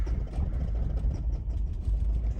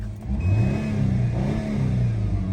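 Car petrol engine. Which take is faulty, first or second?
first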